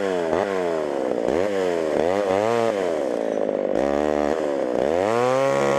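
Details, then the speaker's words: Homelite Super XL chainsaw with 20-inch bar, old auction saw, chain probably needing sharpening: strong, even two-stroke buzz that sags as the chain bites and climbs between cuts; runs fine under cutting load. "well that was almost too easy thing runs pretty decent use a little bit more tune in here and there sharpen that chain up"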